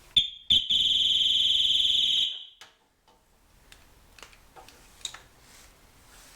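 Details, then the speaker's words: Triumph Trophy 1200, off road six years, new battery fitted: a couple of sharp chirps then shrill alarm tone for about two seconds; alarm triggered because key fob battery was flat, works after replacement. "Don't think my fob works. I do that with the god's sake. There's always something, isn't there? So, I'll change the battery in the fob and now it's alive."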